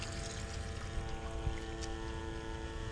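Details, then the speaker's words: 1100 gph bilge pump in a fill test, drawing only 3 amps, should fill 20 litres in about 22 seconds: steady motor hum, constant tone, water sloshing, no rattle or labouring; normal running. "Okay, there we go. Beeper's going. It's using only 3 amps."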